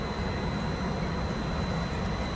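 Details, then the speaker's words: Combined, custom-wired VRF outdoor unit brought back to life after dying: steady fan rush with constant high compressor whine, fan running because the indoor motor is running, no rattles or surging; normal running. "see that fan would not be going on right now if you didn't see that the motor was running inside and it is"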